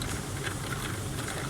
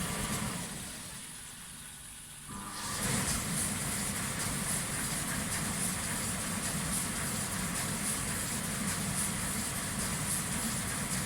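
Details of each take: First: Indesit 7 kg condenser dryer that runs but makes a strange noise: steady low buzzing hum with a rough edge from the condensate pump at the back. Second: Indesit 7 kg tumble dryer: the float microswitch drops and the condensate pump runs normally, a steady low hum with a watery hiss for about twelve seconds, then it stops.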